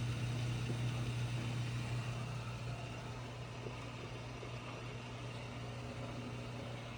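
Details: GE Hydrowave washer after washer motor replacement (not-spinning fault): quick drain and spin gives smooth steady motor hum at one low pitch, easing as tub spins down; no grinding or banging; normal spin.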